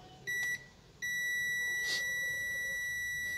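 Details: Samsung UA32EH4000 LED TV, completely dead with no standby light, power supply check. One brief beep, then an unbroken continuity tone from the meter, confirmed with its leg lifted: that rectifier diode is shorted.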